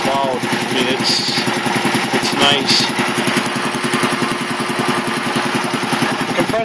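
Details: 1975 Quincy QR 325 compressor, pump #325 ROC 10, now on a GE 5HP single-phase motor with a smaller pulley, pump slowed to 621 rpm; quick, steady thumping over smooth motor hum, no knocks or squeals. Runs nicely and quietly, normal.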